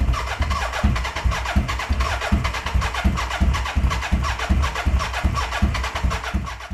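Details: BMW K100 café racer build, first start attempt after wiring and fuelling: starter churns at roughly eighty pulses a minute with uneven sputtering catches, fading as cranking weakens; won't keep running, owner suspects battery running down.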